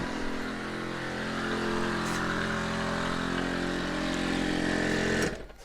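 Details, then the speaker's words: ARB air compressor in a GQ Patrol shorty, after tightening a loose part and fixing the pressure switch. A steady buzzing drone that strains slightly as pressure builds, then stops cleanly at cut-off; it works normally. "Well, it got to pressure and it turned off. Fixed."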